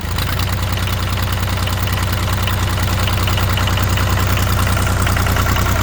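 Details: International 285 4x4 diesel tractor (title says 284), revived after sitting with ATF in cylinders: steady fast even clatter over a deep solid rumble at idle, no miss or knock; runs pretty good, white and black smoke from the ATF.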